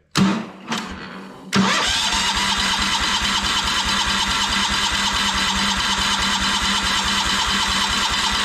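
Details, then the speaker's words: Kohler 14 HP engine in a Minneapolis Moline 114 Hydro garden tractor, cover removed, started with choke: cranks twice, catches to fast idle with a steady rapping in the top end, not the cover; owner believes the engine is just worn out. "so that confirms you can hear it kind of knocking up here in the top end so just wanted to make sure that it wasn't something hitting that cover because I have heard that cover make some bad noises before but I think this engines just were out"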